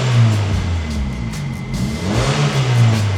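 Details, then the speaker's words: 1999 Honda Civic HX coupe engine blips and settles to a deep, even exhaust note with no rasp or puffing leak; slightly louder but far better than before, when an exhaust leak made it sound like a tractor. "It sounds a little louder, but like way better than it was."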